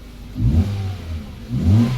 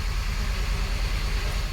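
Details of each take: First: 2012 Hyundai Verna (Fluidic) petrol with a no-start, immobilizer/Smartra no response (P1690), fault traced to the ECM: after repair, two quick throttle blips rise and fall cleanly, then a steady even idle; engine now starts and runs normally. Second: 2012 Hyundai Verna (Fluidic) petrol, immobilizer key light not on: the starter turns the engine steadily but it never fires. Code P1690, SMARTRA immobilizer not responding; the ECM is not communicating with the SMARTRA, so it won't start.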